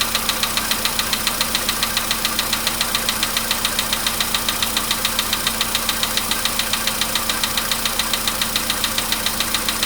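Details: Polo Sedan, 99,329 km, cold start with dash showing 15 degrees: sharp, very regular metallic tapping about 3.5 per second over idle, anvil-like, fading as it warms over five minutes; engine knock worsening over time.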